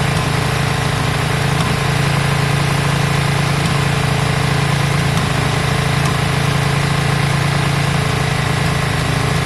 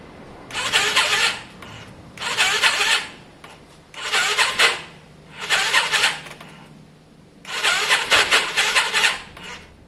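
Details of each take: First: Yamaha Virago V-twin after carb work, just started with choke on: it settles into a steady, even thump of about three and a half beats a second. It idles smoothly and doesn't sound too bad. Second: Yamaha Virago after carb work, fuel primed, choke on: slow, labored cranking in uneven bursts about every two seconds, a rough raspy whirr. It sounds like a weak battery, but the owner suspects the starter clutch.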